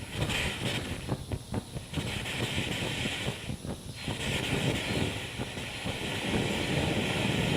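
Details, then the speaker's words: Steady hissing roar with uneven sputtering surges as the BRS-8 multi-fuel stove, now burning on gas, flares while burning off excess white-gas priming fuel pooled in the bottom cup. "So what it's doing now is it's basically burning on the gas, but it's still burning off all of the white gas that was collected in that cup at the bottom."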